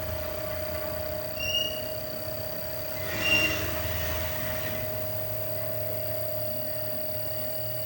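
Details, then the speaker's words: Godrej inverter AC after PCB repair for an F3 error with a resoldered IPM: a soft, steady mid-pitched hum with no rattles or cut-outs as the compressor starts and runs at slow speed. Normal. "Okay, ഇപ്പോൾ നമ്മുടെ compressor സ്റ്റാർട്ടായിട്ടുണ്ട്. Slow സ്പീഡിലാണ് സ്റ്റാർട്ടായിരിക്കുന്നത്."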